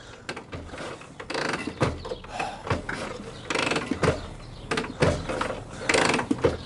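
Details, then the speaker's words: 1952 Harley-Davidson Panhead, idle for over six months, fuel off, throttle open: about seven kicks, each a ratchety clatter and compression thump with no firing, working oil onto the cylinder walls; dry turnover sounds normal. "There's no gas going to it yet. And we're going to kick this thing through a few times."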